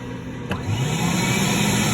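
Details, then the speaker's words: Advance ES4000 scrubber with water-lift issues and batteries below 24 V: one rear vacuum motor spins up into a smooth, steady whine and runs properly. The other motor fails to start, and replacing both is advised. "okay I'm back and we're looking at the back loaders now and uh the plugs are right here so if I turn it on sounds like they're running"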